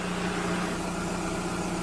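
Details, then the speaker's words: 2006 Audi A3 Sportback 2.0 140 hp at idle: fine continuous crackling rattle over the hum from a worn clutch release bearing, audible with the pedal released and gone when pressed. "maintenant vous allez écouter le bruit que ça fait sans dégâts l'oreille d'un bail comme ça craque j'appuie le bruit disparaît relâche pour l'entente craquer"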